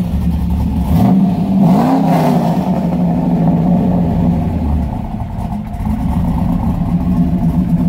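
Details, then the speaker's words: 2001 Camaro SS V8, cam and bolt-ons with a newly installed PCM, revved a little in neutral. Choppy lumpy idle rises cleanly through quick blips and settles back smoothly; healthy cammed engine revving. "not too bad for what's done to it it's basically a cam bolt-on car doesn't sound too gosh darn shabby"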